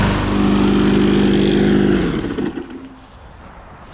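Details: Lawn mower, 2021 by serial number, gas checked; catches on first pull and runs with an even, steady chug for a couple of seconds before cutting out; oil in the muffler burning off; sounds healthy, no knocks.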